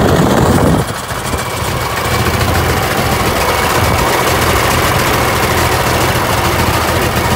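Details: TD25 diesel dozer just started after sitting 20 years (speaker says about 10), with water drained from the tank and new batteries fitted; after a brief catch, a deep, steady chug settles into an even idle with no knocks or misses. Normal.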